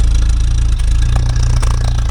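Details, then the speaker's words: 1956 Willys Jeep CJ5, freshly rebuilt Hurricane engine, first drive, stopped for a check: steady even low idle with smooth regular beat, no knocks or ticks, quieter than it ever idled before; no oil or coolant leaks; normal idle. "That idle is minty. It would never It never idled this quiet before."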